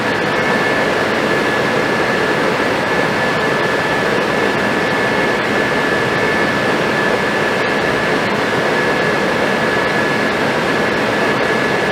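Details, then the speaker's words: Suburban RV furnace after replacing the fan motor and control board and cleaning the hairy fan: steady, even rushing roar with a faint constant whistle, no surging or scraping; burner and fan running normally after repair. "well I'm going to call that a success folks she's sitting there on the truck burning and smells good sounds good and is good"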